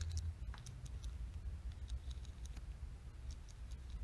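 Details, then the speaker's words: Old-style Shimano freehub being reassembled with ball bearings; light irregular pawl clicks as the wheel spins over a low rumble, pawls engaging freely, normal freehub clicking. "you really want not to exaggerate too much grease on those poles because too much we'll get them sticking you want to hear that click"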